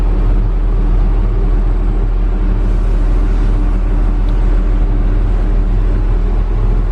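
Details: Logging heavy equipment diesel after routine maintenance service; loud steady low rumble at an even pace with no knocks or misses, running healthy.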